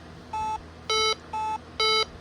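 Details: Bosch B9512G alarm panel keypad, full arm of all three areas; steady high-low alternating beeps about two a second counting down the exit delay, accidentally set to 60 seconds.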